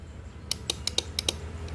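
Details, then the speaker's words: Yamaha Vega ZR, key on, starter button pressed: sharp dry clicks, about six in under a second, from the starter drive area, no cranking; battery reads only 9 V (should be 12.6 V minimum), so it is flat, though the starter brushes may also be faulty. "cuma 3 9 volt ini dari akinya saja sudah kelihatan akinya sudah drop alias akinya mati tapi belum tentu ini cuma akinya doang soalnya bunyi cetik-cetik seperti ini itu biasanya bros starternya itu mengalami rewel"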